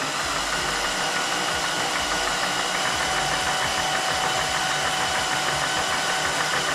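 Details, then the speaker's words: Volvo 5-cylinder swapped into a Mazda MX-5 Miata, cranked with injectors and coils unplugged and spark plugs out to build oil pressure, gives a steady, even starter churn with no firing as oil pressure rises past three bar. "There we go. It made oil pressure. You could hear the uh the oil actually building pressure there."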